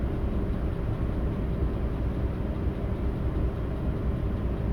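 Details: Audi A8 D3 with 6.0 W12 at idle during a VCDS lambda check for misfires: deep, steady rumble with a slightly uneven exhaust pulse, pointing to a misfiring cylinder; cause not pinned down.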